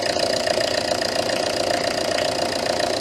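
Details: Citroën Berlingo HDi diesel on its first cold start in over a week: idle clatter with an uneven, slightly hunting beat of about 2.5 pulses a second. Lumpy idle; a faulty MAF sensor is suspected.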